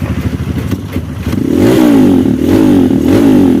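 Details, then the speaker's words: Kawasaki KLX 150 BF, bored up, after replacing the electric starter one-way clutch rollers to fix a slipping, rough starter: fires and settles into a steady, even single-cylinder idle with a slight blip; starter no longer slips or sounds rough. "Ya sudah tidak ngelos lagi sudah tidak kasar lagi starternya"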